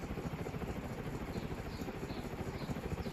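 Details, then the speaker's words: Winco-branded Wattmaster ceiling fan made in Hong Kong, freshly oiled with gunk and dirt in its bearings: a steady low rumble with an uneven churning pulse about three beats a second; rough bearings, which the owner hopes will wear in. "oh listen to it bearing's a bit rough hopefully the oil that i'm putting up will wear in soon still is fast"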